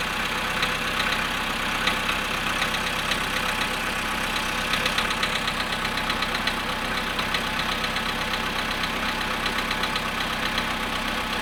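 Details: Volkswagen Polo sedan at 0.5 °C after standing 13 hours, cold idle: light, fairly even knock about four per second over the engine hum; engine knock, cause not identified.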